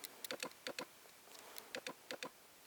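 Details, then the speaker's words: Canon 50mm f/1.8 lens on Sony A7S via Canon-to-Sony autofocus adapter: quiet, irregular pairs of light ticks every half second or so, focus motor hunting and never locking; owner suspects a lens fault, not confirmed. "and you can hear what it does it just can't focus anyway"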